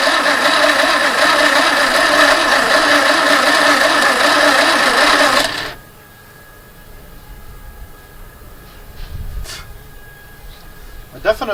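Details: Barn-find 2CV flat-twin three-wheeler stored 25 years, choke pulled, fuel pump apparently running and fuel smelled: even cranking churn about two and a half beats a second, never catches, stops; starter overheating and slowing. Crank no start.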